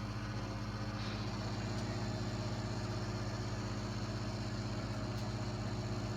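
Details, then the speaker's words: GE Sensor microwave oven cooking hamburger and rice for a minute and a half: steady low electrical hum with faint even pulse, no rattles or buzzing; heat kicks in, heating normally in good working condition. "It's perfect, good, working condition."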